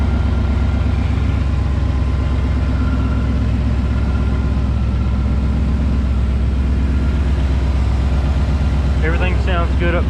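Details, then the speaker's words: 2012 Ford Mustang Boss 302 at first start after LTH long-tube headers, an intake and a Lund tune: deep, loud, steady lumpy V8 idle with no misfires or ticking. Slight rattle from a mismatched X-pipe; no leaks, engine healthy. "no leaks we'll have to let this coolant get the air out of it it sounds good i don't care a single issue"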